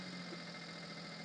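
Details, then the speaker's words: Maruti Suzuki Alto, engine bay, after fixing over-racing high idle: restarted, idle drops to about 750–800 rpm, quiet smooth low hum with no misses, knocks or hunting; normal idle. "ഇപ്പൊ വണ്ടി correct ആയിട്ടില്ലെങ്കിൽ ഏകദേശം ഒരു 750 800 RPM ലോട്ട് വന്നിട്ടുണ്ട്"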